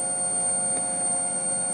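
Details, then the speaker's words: 2005 Kawasaki Vulcan 1500 fuel-injected, cutting out and backfiring under hard acceleration: microphone down by the tank, key on, a steady high hum for nearly two seconds then cutoff; the fuel pump primes normally. "so what I did is I verified that the fuel pump does turn on we can come over here and take a listen"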